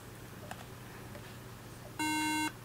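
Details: Apple MacBook Pro 13 A1278 on startup with a bad RAM module and bad RAM slot: a single harsh buzzy beep about half a second long over a quiet hum, the memory error warning.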